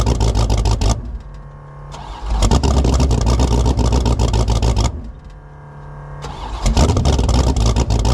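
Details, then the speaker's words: 1984 Fox Body Mustang drag car, about 350 hp V8, no choke, cold start around 20 degrees: fires, sags near stalling, recovers twice; oversized 878 CFM carburetor. "We finally got this thing to stay running. And um the carburetor on it is way too big. It's got an 878 CFM carb on it and it's only got about 350 horsepower."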